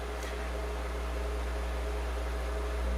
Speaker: this is a 60 cycle hum and this is typical for a ground loop